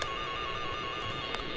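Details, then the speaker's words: Network cable tone tracer, generator on RJ11 connected at port 210 on the third floor, probe at patch panel: clear steady warbling tone throughout; signal detected, cable traced. "that's the sound it should make so 210 is where the the tone generator the sound generator is connected on the third floor so you can hear"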